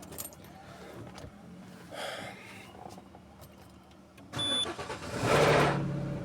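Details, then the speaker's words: First cold start of the morning, where a brief VVT solenoid grind is expected for this engine: it cranks and catches with a short rattle, then holds a high, even cold idle showing 1000 RPM. A normal cold start. "you see, the engine has started. But pay attention to the sound. Listen to the sound. You can see it's still high. Right now it's showing 1000 RPM."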